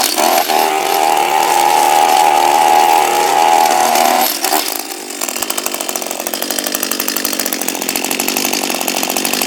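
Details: Echo SRM230 two-stroke string trimmer, hard to start, refuelled after draining, air filter off: high buzzing note wavers then drops to a choppy, uneven run; running rough. Timing shift suspected, not confirmed.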